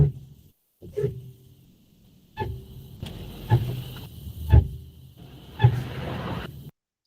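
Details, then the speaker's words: BMW iX1 EV, phone-recorded in the cabin: short, low moaning squeal in repeated bursts at every slow stop, like a rusty bicycle braking in the rain; cause unknown. Brake squeal at low-speed stop. "use they make this really loud, squealing, screeching sound that kind of sounds like a um, you know, old rusty bicycle being um, when you put the brakes on in the rain. It's It's really terrible."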